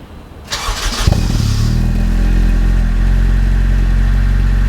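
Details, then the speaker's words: JDM Honda EP3 with Toda exhaust and Defi gauges, cold start: starter whirs, engine fires into a loud deep steady fast idle; exhaust is fairly loud on startup but quietens once warmed up; healthy. "It is a Toda exhaust there, and it is fairly loud upon startup, but it does quieten down after it's warmed up a little bit."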